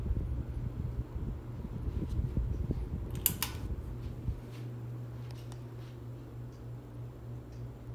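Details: 42-inch Harbor Breeze Ocracoke ceiling fan, installed around 2005, on high speed, top view: a few clicks, then a steady low even hum with no knocking or wobble; runs smoothly.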